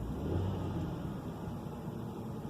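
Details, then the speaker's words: 2005 Hyundai Santa Fe 2.7L just after idle control valve replacement and throttle body cleaning, relearning idle. A steady low rumble swells briefly when the gas pedal is pressed and settles back smoothly: normal rev response. "it's going up and down like normal it's running real good so I'd say this is a success"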